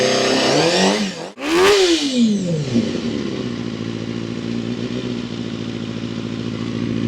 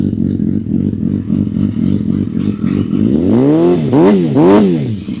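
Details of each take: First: Honda CBR250RR MC22 under restoration, newly refitted carbs, firing after sitting; a sharp rev blip, then a slightly lumpy, uneven idle that steadies. Owner says it sounds a bit off. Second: Honda CBR250RR MC22 after restoration with carburettors refitted, rewired loom and new aftermarket radiator; even, brisk idle, then quick clean blips rising and falling smoothly with no hesitation; healthy, responsive engine.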